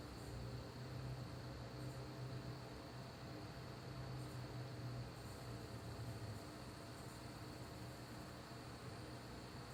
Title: Sapphire R9 390x nitro whine noise